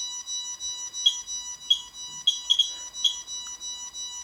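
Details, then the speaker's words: Radiation meter comparison (QSAFE QSF-104, RADEX, Smart Geiger) held above a source in a lead shield open at top: sharp high beeps at irregular intervals over faint steady tone; meter alarming at about 1.6 while Smart Geiger reads only 0.4–0.7. "지금 납차 피함이 들어가 있지만 위쪽이 열려 있기 때문에 지금 위로는 방사능이 나오고 있습니다 같이 가져가 보면 이쪽은 울리죠"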